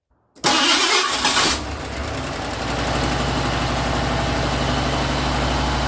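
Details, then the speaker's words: Ford LTD after radiator removal, block coolant still in, started before new aluminum radiator: brief crank, catches within a second, flares, then settles to even, steady idle; clean, healthy start. "so i'm gonna go ahead and see if i can start this thing up and see what happens so let's do that"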